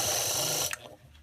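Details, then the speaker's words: Household fan motor, disassembled, shaft very hard to turn by hand; motor hums but shaft won't spin, and on high it whirs then catches: seized, dry motor bearing, to be lubricated with drops down the shaft. "so if I turn on the motor you can hear it actually humming this car's dri by it just the right time but you can see that the shaft just isn't spinning at all"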